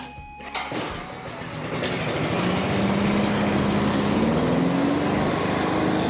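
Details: Cub Cadet leaf vacuum after a carb rebuild for a no-start: pull-start on choke, the engine catches and settles into a steady, even run with the pitch rising slightly; sounds healthy.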